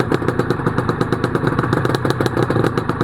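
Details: Honda NSR250R-SP MC18 250cc two-stroke with JHA pipes, on choke, mic low near the pipes; crisp, even ring-ding pulses at a steady fast idle, no knocks or misses; normal two-stroke idle.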